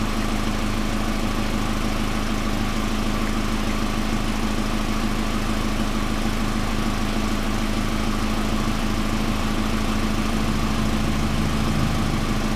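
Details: 1999 Pontiac Grand Am, rebuilt GM LD9 2.4 Quad 4 after first start-up, serpentine belt removed, no alternator running: steady even idle with low hum, noise gone, confirming the AC compressor clutch was the noise; slight exhaust leak at down-pipe donut gasket.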